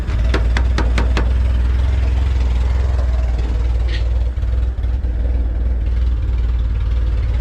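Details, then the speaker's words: Junkyard-assembled LS-VTEC engine on first start with temporary injectors: deep, slow rumble with a few sharp clicks at the start, then keeps running at a very low idle; tachometer not working. "It sounds freaking awesome. It idles really low. RPM doesn't even work."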